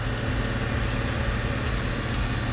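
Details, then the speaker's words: Dodge Stealth on jack stands: steady low idle with faint quick puffing tick from a small exhaust leak between warped, rusty flanges; repaired with Remflex gaskets. "so there's a leaky flange right there I'm in the car right now let me start it up for you"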